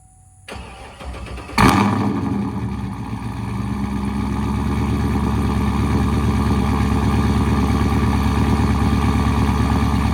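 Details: Vehicle whose battery and alternator tested good: the starter spins briskly at an even pace and the engine catches after about a second, settling into a steady idle. Normal cranking.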